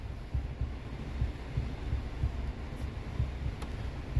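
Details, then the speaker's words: Fiat Argo steering: swinging the wheel side to side gives dull, irregular low knocks from a dry steering shaft coupling under the column, not the column, steering box or wheel itself. "Você esterça para um lado e para o outro e ele gera esse barulho, olha"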